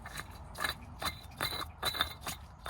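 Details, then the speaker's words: Skoda Fabia 2 estate bought as scrap, removed water pump spun by hand: gritty scraping bursts with clicks each turn instead of a smooth whir; water pump bearing worn out, signs of past leaking with UV dye. "That's absolutely toast, that is."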